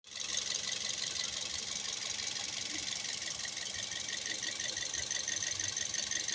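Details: Toyota Vios 2008–2012 with 1NZ-FE engine: steady idle with fast thin metallic rattle, roughly three even beats a second, with vibration; engine knock and rattle, cause unclear.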